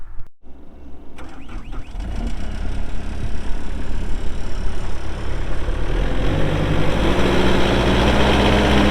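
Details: 2018 Takeuchi TL8 skid steer with 1,594 hours, cab doors shut: brief starter crank, then the diesel catches and builds into a steady, even low rumble that settles at idle without misses or knocks.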